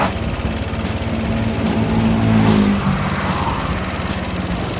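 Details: Honda Click 125i fuel-injected scooter that started hard, hesitated and stumbled, after fuel pump motor replacement: engine picks up cleanly and revs freely, climbing then settling with no stumble or hesitation.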